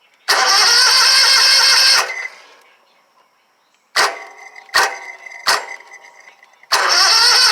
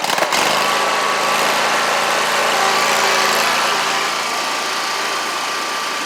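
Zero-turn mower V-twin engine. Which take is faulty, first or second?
first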